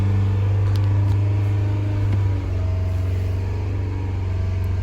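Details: 2018 Fiat 500 misfiring after being filled with diesel, held around 2500 rpm: heavy uneven low drone; damaged spark plugs and their residue damaged valves, leaving a cylinder with no compression.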